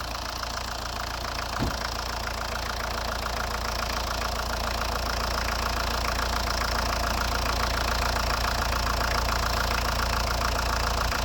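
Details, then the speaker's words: 1990 Ford Escort 1.8 diesel, just started after a thermostat change: idling with a fast, even clacking from the top of the engine, about three or four a second, from hydraulic lifters (tappets), a known weakness. "mise en route du bolide vous allez entendre des poussoirs hydrauliques claqués c'est leur maladie"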